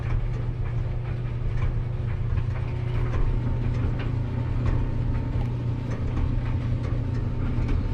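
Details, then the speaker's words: Maytag LDE6914ACL dryer after DIY belt and drum guide replacement, first run: constant deep rumble and drone from the turning drum with faint scratchy ticks; owner suspects the idler pulley and lets it run to settle in. "I'm gonna let it run a while. It might be the idler pulley."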